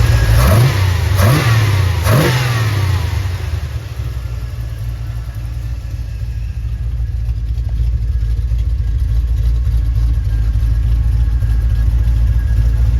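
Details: ZZ6 crate engine after carburetor tubing work for performance, drivability and hard start: three sharp throttle blips, then deep steady even idle with no stumble or miss; normal running and revving.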